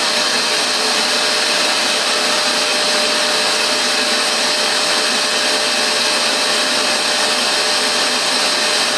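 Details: Vax Dual Power Total Home carpet washer spraying pre-treatment solution through the wand: a steady, even high-pitched airy rush with a constant motor tone, no surging or rattles; running normally.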